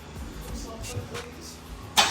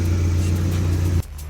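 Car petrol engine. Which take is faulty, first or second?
first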